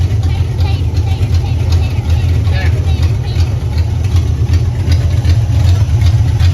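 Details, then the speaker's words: 1964 Galaxie wagon with a swapped-in Mustang GT 5.0 302 V8 (Comp Cams valvetrain, Weiand intake, Holley 650 carburetor, Hooker headers), after idle mixture adjustment and before putting it in gear: a steady, even low rumble, idling smoothly. "oh it sounds good right there don't it drag"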